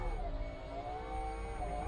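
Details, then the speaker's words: 1990 Range Rover LHD 3.9 manual, window motor powered directly with a power probe in both polarities: quiet, even whine at a steady pitch with no grinding or stalling, so the motor works and the window lift ECU is suspected as the fault. "red right so that works and then we'll go into the other slot and get power now to 12 volts going to the gray and black right but that appears to work which is good news"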